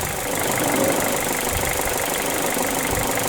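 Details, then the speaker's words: Mazda2 1.5L Sport petrol engine converted to run on hydrogen, warm, MAF sensor disconnected, running on near-zero hydrogen pressure: fast, sharp diesel-like ticking knock at every firing. Owner suspects ignition timing; unconfirmed. "Whether that sound goes away, because I think it should probably sound like any other petrol engine. It shouldn't have this knocking sound."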